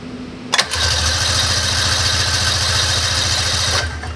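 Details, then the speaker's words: 1999 Ski-Doo Formula DLX snowmobile with damaged carburetors, on full then half choke in about 50°F weather: starter bursts in, fast cranking with rough spitting firing that won't catch; hard start, owner suspects flooding from too much choke. "yeah I totally just flooded it I think it's no gas goes with the weather the way it was this week"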